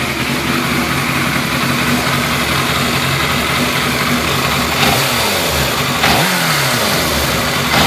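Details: 2003 Yamaha YZF600R, 7,220 km, fresh oil, warmed up: steady idle with faint light tick, then three throttle blips; noisy only when warm, unaffected by clutch or gear, owner suspects rear of transmission or bottom end.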